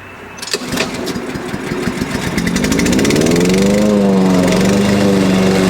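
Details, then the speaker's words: Husqvarna push mower that sat over 4 years, after carb cleaning and refill with correct oil (Rotella T6): catches after a few rough firings, then settles into a steady even drone; runs much better, though a loose blade is suspected rattling underneath. "it works it runs a lot better with the correct amount of oil in it a good clean carb"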